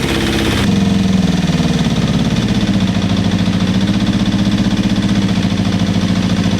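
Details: Suzuki GSX250F Across after a carb clean: fires up quickly, then settles into a steady, even idle with no knocks or rattles; owner says it is not running perfectly and suspects gunk in the fuel lines.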